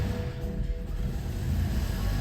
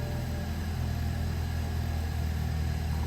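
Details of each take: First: 2012 BMW 3 Series with Valvetronic, first start after valve cover replacement and a no-start repair: engine catches and runs lumpy and uneven for a few seconds from air in the fuel lines after the fuel was disconnected; timing seems on. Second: 2012 BMW 3 Series after no-start repair, first start with fuel lines just reconnected (some air in them): settles into a steady, even low rumble with no ticking, rattling or misfire; timing seems right, pending test drive. Normal running.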